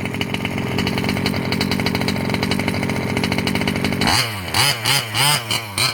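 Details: Losi 5B with OBR 34 two-stroke motor, first fire-up after rebuilding the bottom end following a failed crank bearing: crisp even idle without knocking or rattle, then clean sharp throttle blips dropping back smoothly; the earlier noise seems gone.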